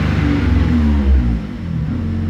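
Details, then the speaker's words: 2007 VW Fox 1.0 8-valve, warm engine revved then released, revs sag and stumble as if wanting to die, then stalls; stalls in neutral with clutch pressed, faulty MAP sensor identified, can also cause intake manifold backfires. "ele depois que esquenta ele costuma não morrer dá umas falhada mas se ele for contar muito quente mesmo ele ele morre dá uma acelerada aqui"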